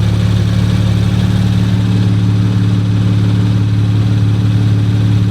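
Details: Rebuilt 2019 Audi RS5 warming up, no muffler, earlier smoke burned off: loud, deep, even unmuffled burble, no misfire or knock; normal warm-up idle.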